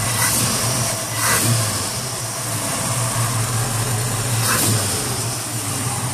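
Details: 1968 Ford Mustang, rebuilt 302 V8, Edelbrock 500cfm carb, headers, Cherry Bomb Vortex dual exhaust, cold day, no exhaust smoke; deep even burble with three crisp throttle blips rising and settling cleanly, healthy.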